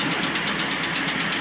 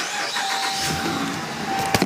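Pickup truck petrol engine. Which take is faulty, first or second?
first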